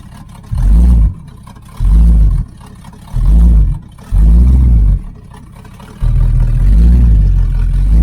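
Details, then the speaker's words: 1980 Camaro Z28 V8 on a new knock-off Holley four-barrel carb, after opening the choke flap so the idle screw could lower the idle; timing not yet adjusted. Four crisp rev blips and a held rev pick up cleanly without stumbling. "Yeah, it's got an acceleration now. before I didn't cuz we never did adjust the uh timing or anything because no use messing with that cuz the till the carburetor's fixed."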